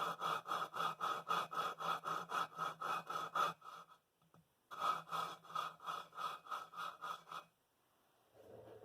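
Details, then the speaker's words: Kohler Magnum M18 engine from a 1990 Cub Cadet 1882 tractor, valve lapping with coarse compound: quick gritty back-and-forth rasping, nearly four strokes a second, stopping and restarting, coarse sound shows compound still cutting the seat. "you're just looking for you know just enough to create a barrier back in here the sound is real course right now"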